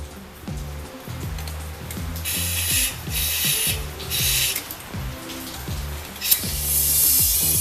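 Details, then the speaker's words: 2007 Ford Escape 2.3 Duratec, 140k, no start after a timing jump: compressed air is fed through the spark plug hole with the air intake off; a loud surging hiss from the intake shows a bent intake valve. "Oh yeah. Yep. Boy, oh boy, that is loud. Okay, that one for sure is bent."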